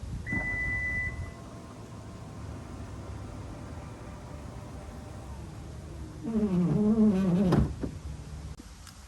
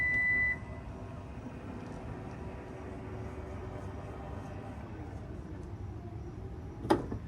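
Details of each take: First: 2021 Toyota Venza power liftgate: a warning beep, low hum, then a wavering squeak as the gate moves. Fixed by disabling the power liftgate setting and manually opening and closing the gate fully to recalibrate it. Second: 2021 Toyota Venza power liftgate after the squeak fix, recalibrated by turning the power back door system off, manually opening and closing the gate, then turning it back on: one warning beep, a smooth even motor hum and a soft thud at the end, with no squeak.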